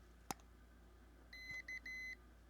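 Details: Newly built PicoKeyer automatic CW keyer kit for ham radio, playing a preset message through its very quiet small speaker: thin high beeps in short and long Morse groups over faint room hiss; normal message playback.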